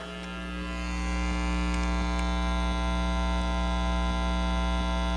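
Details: Steady low hum with a faint hiss from a home audio system (pre-amp, equalizer, amps) fed from the PC sound card, growing louder near the speakers; ground loop because the audio gear and PC were powered from separate AC outlets.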